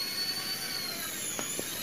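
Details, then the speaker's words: Philips replica (KW) hand mixer motor tested before reassembly, worn oval rear bushing found: steady smooth high-pitched motor whine, no rasp or rattle; normal motor run. "Tuh, ini mesinnya bagus. Biarpun KW tapi gagah."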